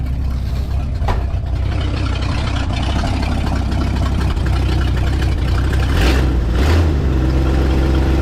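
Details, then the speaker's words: 1968 Ford F100 V8, before 4-barrel carburetor conversion and timing chain install, first start of the day in park or neutral: deep, steady idle with even low rumble, no misses, knocks or hunting. "I mean it's running so good why in the world you want to do something to it won't make it run better"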